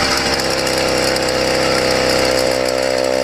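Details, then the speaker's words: YD100 two-stroke after ramped piston build, hot test run: steady buzz with light metallic chatter in the top end, absent until heated; opening the head showed something loose chattering around up top, not hitting. "i popped it right after the video you just seen and you can see there is definitely something that was chattering around up top"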